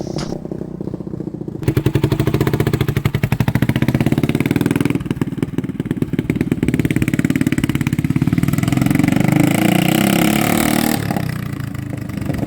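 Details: 1980 Honda XL250S single on a test ride after fixing stalling, no-idle and no-start from bad fuel and cleaning the carb; thumps steadily and picks up smoothly with no misses or cutouts. Normal running.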